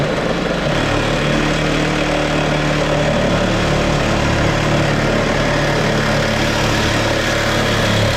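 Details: 1975 Plymouth Duster slant-six after carburetor clean/rebuild, patched fuel line and temporary cherry-bomb-style muffler exhaust: steady, even idle with a firm low exhaust note and small rhythmic pulses; settled and running cleanly, no misfire.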